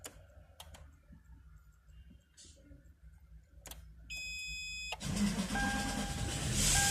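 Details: 2007 Toyota LandCruiser 200, 1VD-FTV 4.2 L common-rail diesel, manual, keys reprogrammed after immobilizer issues: key clicks and dash chime, then cranks, catches roughly and stalls; crank sensor signal confirmed OK, suspected mechanical clash between starter motor and flywheel.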